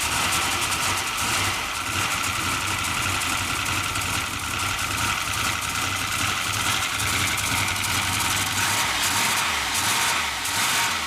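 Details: Turbo LS V8, now 5.7 in place of a 5.3, in a Mercedes AMG wagon, first start after rebuild: loud, uneven idle stumbling and surging with exhaust smoke; runs but won't idle properly, blamed on the tune written for the 5.3.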